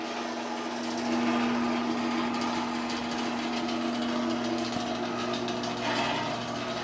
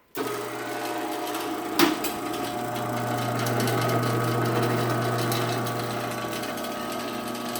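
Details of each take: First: Sears garage door opener with new sprocket, door travelling: motor hum with a quick, uneven metallic rattle about four a second from the loose trolley; trolley rattle. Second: Sears garage door opener after a new sprocket was fitted, motor getting warm, last run down: even motor drone with steady chain rattle for about twelve seconds, no grinding or catching, then a clean stop; opener runs normally.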